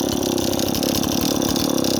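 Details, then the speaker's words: Stihl 026 chainsaw running rich, with an uneven, burbling, stumbling idle that never cleans up. It loads up on fuel when the trigger is first pulled after idling about a minute. "as our saw loads up you hear that that's the saw loading up on fuel you first pull the trigger after you've let it idle for a minute"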